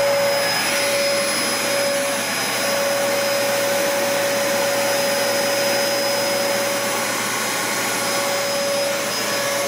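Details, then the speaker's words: Cheapest Dyson upright vacuum running, measured at 70–90 dB depending on distance: loud steady high whoosh with a constant one-pitch whine, no rattles or surging, motor runs normally. "So even when I give the Dyson the grace and I go over here to the desk, even when I do that, it was still in the 70s."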